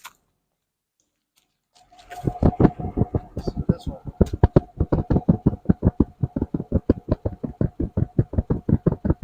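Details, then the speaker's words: Buick Roadmaster LT1 V8, listened at rear exhaust: steady exhaust pulses at idle, nearly three a second, with occasional uneven puff on one side; intermittent misfire, owner hopes spark plug or plug wire. "just every once while it gives a little puff you know and so I uh I hope that means it's just a spark plug or spark plug wire and then it's easily fixed"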